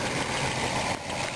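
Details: RV engine after new distributor install: rough idle that sags and nearly dies, then picks back up, as if about to conk out; stumbling idle from incorrect ignition timing, distributor turned slightly out of time.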